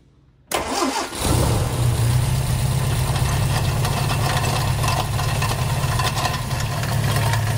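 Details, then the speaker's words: 1964 Sunbeam Alpine Series IV with Borg Warner automatic: water pump slinging coolant around the engine bay and its bearing in very poor shape; the engine starts and settles to idle with a harsh gritty grind over a low hum; water pump bearing grinding. "Not only is a water pump slinging fluids around the engine bay, but the bearing is in very poor shape. I'll start the car up so we can both hear and see how bad that water pump is."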